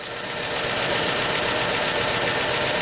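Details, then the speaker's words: 2005 Chevy Silverado 5.3 with over 400,000 miles, first startup after top-end refresh with new timing chain, camshaft, cam bearings and lifters: fast, busy ticking about four per second with oil pressure present; rocker/lifter noise expected to fade as oil pumps up. "We do got oil pressure. Right now we got a bunch of rocker noise, but it should change as everything gets pumped up."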